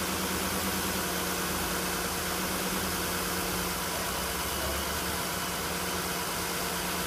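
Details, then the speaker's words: 2010 Nissan Murano Z51, 87,000 on the clock, after throttle body cleaning, warming up with revs dropping: smooth even idle, soft steady hum, no stumbles or ticking; runs softly, hunting not yet judged. "Пусть поработает пару минут сейчас. Посмотрим дальше, что будет. Двигатель работает мягенько."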